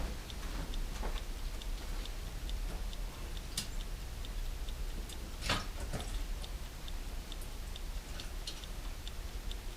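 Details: Serviced dash clock from a 1969-71 Lincoln Continental Mark III, bench-running on a fuse after it was cleaned of lube: steady, light ticking about twice a second. The clock runs normally.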